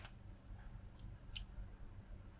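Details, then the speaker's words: Repaired switch-mode PSU powered through a light-bulb current limiter, now putting out 50–52 V: low mains hum, then a few sharp clicks, thought to be the relay pulling in across the thermistor; normal power-up. "yeah did you hear the click maybe that was the relay clicking in across the thermister"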